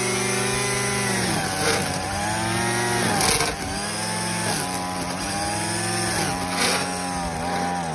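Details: Craftsman WS210 four-stroke weed eater after a carburetor replacement that did not help. Revs up and sags every second or so, never holding speed, and soon dies: engine surging and stalling.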